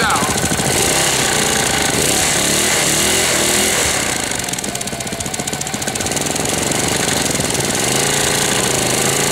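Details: 1998 Briggs & Stratton 60 (6 hp) Intek Edge restarted after long storage, fresh oil, new hoses, not warm: harsh fast rattling knock about four per second over uneven sagging run; sounds about to seize despite correct oil level, cause unconfirmed.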